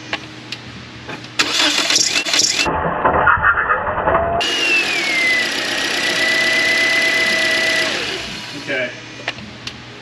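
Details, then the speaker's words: 2013 Toyota Corolla back after a paid repair: the starter whirrs and the engine catches, then a shrill squeal slides down and holds for about three seconds on start-up. The mechanic suspects the belt, unconfirmed. "all right there's our belt I I speculate that it's a belt I did hear the noise"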